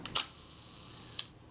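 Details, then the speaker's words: Kodak Retina Reflex type 025 during servicing, film advanced and shutter release pressed slowly: first sharp click heard but the quieter second film-release click is missing, so the release needs adjusting. "when the film release works there are two clicks and I'm hearing the first click but not the quieter second clip"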